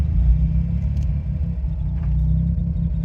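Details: Autozam AZ-1/Suzuki Cara with a Keisport plug-and-play ECU, warmed up, coming to a stop in third with the clutch in: a low, even rumble; idle holds steady.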